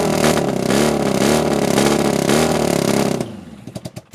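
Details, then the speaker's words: Half-scale NASCAR kart with a 750cc four-cylinder motorcycle engine, abandoned outside four years, first start on starter fluid. Revs hard and uneven, then sputters and dies into scattered pops. "I normally don't recommend spraying starter fluid in but I had enough of hearing it run like that I want to hear this thing rev up and run for a little bit and it kind of started like it might have started pulling fuel just a little bit towards the end"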